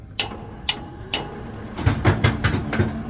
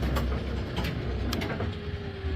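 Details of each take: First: Brunswick GSX bowling pinsetter run right after a urethane belt weld repair: irregular clacks and knocks, then a steady louder mechanical rumble as it cycles; normal running with the repaired belt. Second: Brunswick GSX pinsetter switched on with pins out and an impact gun found: low motor rumble with strained steady tone and a few clunks as the elevator tries to drive; binding somewhere, T-band belt riding into the studs suspected, unconfirmed.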